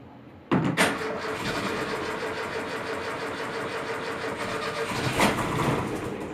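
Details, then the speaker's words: Freshly rebuilt engine, first start after a major overhaul: short crank catches quickly and settles into a steady, even idle with no knocks or misses; the builder judges it normal, though he felt it started poorly. "Ну, нормалек вроде бы. Отлично, блядь. Свежесобранный мотор."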